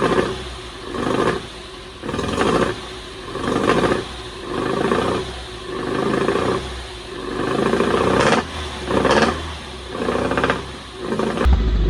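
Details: 1974 Alfa Romeo GTV 2000, built 2.0L with dual Dellorto carbs, long sitting, first start on fresh fuel: revs swell and fade every second and a half, hunting, won't idle; owner suspects carbs full of junk.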